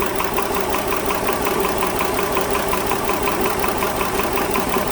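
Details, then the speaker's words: 2010 Dodge Journey 3.5 V6, MIL on, P0206: restarted, misfiring from startup though not earlier; uneven lumpy idle with regular stumble about three times a second, one cylinder not firing; traced to open-circuit number 6 injector. "so it's missing on a startup i'm sure it wasn't this viking you can see it misfiring now but it wasn't misfiring before"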